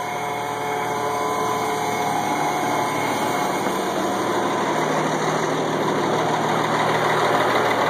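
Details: 1986 AM General M35A2C (7,331 miles, 260 hours, all original) idling cold at 26 degrees after sitting about 3 months; clean, unbroken diesel rumble with no knocks or misses, a normal cold idle.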